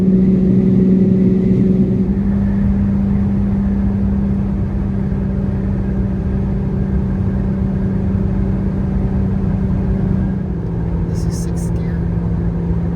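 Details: Jeep Gladiator 3.6L V6 with no muffler, climbing a long highway grade in 5th gear at 65 mph, before a MagnaFlow muffler was fitted. Loud, steady low droning hum under constant load: exhaust drone without muffler.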